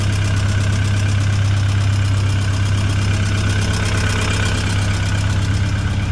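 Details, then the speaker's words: Tennant M20 sweeper with a Vortec 1600 gas engine, first start after a head gasket and timing belt job, with assembly lubricant burning off and oil pressure fluctuating at first. Smooth, steady hum with no knocks or misses. Normal idle. "B everything looks good listen to her purr beautiful sweet"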